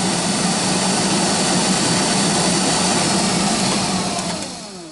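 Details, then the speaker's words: GAZ Gazelle heater blower motor run through speeds 1, 2 and 3: loud steady whirring roar with low drone winding down at end; worn bushings suspected, motor to be removed, cleaned and lubricated. "это громко низкая может быть у газели так оно и есть но мы все равно мы сейчас разберем и это смажем посмотрим втулочки там или че там стоит у нас скорее всего втулки"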